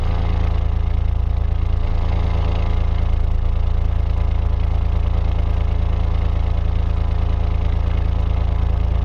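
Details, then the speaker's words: Denyo DCA-15SS-N genset, 30-plus-year-old 1.6 three-cylinder Nissan diesel (18 PS at 1500 rpm), first start in years: steady, even low diesel clatter at constant idle, no misses or knocks; temperature climbing, running normally. "okay it's climbing in temperature we'll crank it up a little but normal running me"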